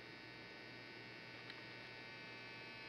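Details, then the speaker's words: 1958 Harman Kardon A-10 Allegra tube amplifier, first power-up near 117 V: constant low hum with a thin buzz, no rhythm; the filter capacitors need replacing. "okay okay there's a while you hear the hum so pastors have to be changed"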